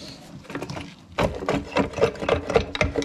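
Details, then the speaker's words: Polaris RZR transmission, removed and turned by hand: rough, uneven crunches about four a second from broken, chunked gear teeth grinding inside the gearbox. "that sounds fucked. Hold it right there, please, sir. Thank you, sir. She sounds crunchy."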